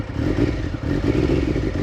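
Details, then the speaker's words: Triumph Daytona 900 Super 3 triple, just after a cold start on choke following 4–5 months unused: steady, throaty idle with light mechanical clatter and an even low pulse; normal cold idle. "I want to warm the bike up with these bikes these triumphs they need to be warmed up"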